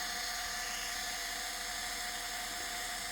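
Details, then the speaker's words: Litter-Robot 3 drive motor gearbox, unit open and unloaded: high steady whir with a thin chattering rattle-squeal from dry shafts under the first and second reduction gears, disappears under load; fix is removing the second reduction gear and lubricating the shafts. "here's an example of a drive motor for a l robot 3 that has lost most of its lubrication on the first and second gear reductions in its transmission you listen carefully you'll hear it chattering kind of a way I describe it as a a rattle"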